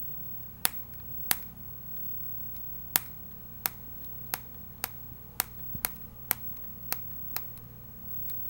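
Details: Nexus 7 tablet: sharp, dry clicks at uneven intervals as the screen pops against the frame on the left side during use. The cause is suspected to be screen separation.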